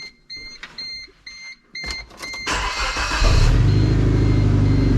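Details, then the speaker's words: Suzuki Sidekick start-up after ongoing work; power steering works. A few chimes, a brief crank, an immediate catch, then a steady, even idle with no knocks or misses. "So I'll start it up for you guys so you can hear it and show you the power steering. Everything works."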